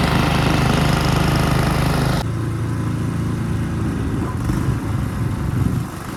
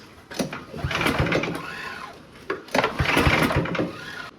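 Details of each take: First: Ariens two-stage snow thrower model 11528 with old Tecumseh engine, in drive with auger locked blowing snow; steady drone drops in pitch as load comes on then holds even without misses or knocks; normal running under load. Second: Ariens two-stage snow thrower model 11528, salvage-yard find that sat for years, has compression; two bursts of fast uneven cranking briefly catch but never run, almost starts; no start.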